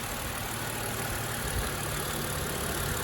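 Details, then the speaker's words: 2009 BMW Z4 E89 2.3i sDrive six-speed manual, recorded under the bonnet: quiet, smooth idle with an even low hum and no ticks, knocks or rattles. It starts beautifully and idles healthily. "um no funny noises starts beautifully"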